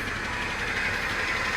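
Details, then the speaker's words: 2017 BMW M240i at Copart auction, heard from outside the car: steady idle with bright metallic chatter over the engine hum; heavy timing chain rattle suspected, not confirmed. "oh man you know what that sounds like to me that actually sounds like a timing chain"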